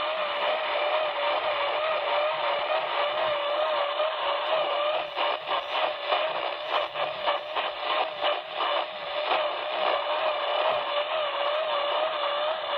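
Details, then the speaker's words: Icom IC-7000 receiver swamped by pulsating motor-like interference across the whole upper HF band, on 24 hours a day for about a week: wavering tone warbling high and low, faster and slower, over steady hiss; owner suspects a neighbour's treadmill or motor. "sounds like some kind of motor just alternating and frequency high and low goes faster and slower and uh it's been on continuously 24 hours a day"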